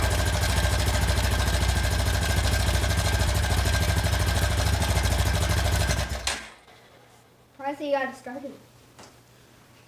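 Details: 2001 Honda Foreman 450S ATV, choke on, battery jumper, after replacing blown main fuse to restore spark: fires straight away, idles with quick even pulse six seconds before shutoff; starts and runs fine.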